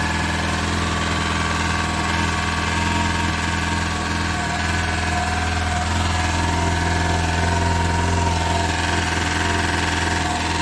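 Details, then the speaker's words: VAZ Zhiguli (Lada) "шестёрка" after sitting with a flat battery, started on fresh charge: steady idle with even low drone and faint irregular mechanical rattle; strange unidentified engine noise, source not yet found; oil level fine. "какой то очень непонятный звук происходит и знают куда но этот звук очень какой-то странноватый такой"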